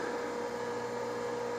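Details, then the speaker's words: A Tandy 3000 HL, a 286 AT-clone PC, powering up: a steady whirring hum with a constant mid-pitched drive tone as the hard drive seeks, with no clicks, scraping or grinding. Fan and drives run normally. "let's go ahead and plug it in and show it booted up or at least on to show that it does indeed start up so here we go it's not that hard drive and you can hear it working doing a drive seek"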